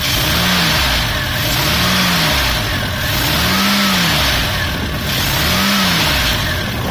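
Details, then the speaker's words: Volvo Amazon with B20 petrol engine revved up and down repeatedly: light, busy clatter or knocking over the running noise; owner unsure whether it is the valves. "There's some kind of clattering from the engine, knocking sound. I don't know if it's valve or yeah, whatever."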